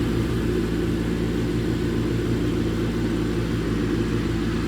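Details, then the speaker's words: 1987 Craftsman GT18 lawn tractor after carb gasket, needle valve, idler pulleys, drive belt and battery replacement, on a mowing test run: smooth, constant low engine drone with no misses, knocks or surging; runs healthy. "oh there you have it 1987 craftsman up and running once again"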